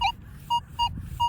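Clean, evenly spaced mid-pitched beeps, about three a second, each crisp and steady over quiet ground: a normal, solid target response.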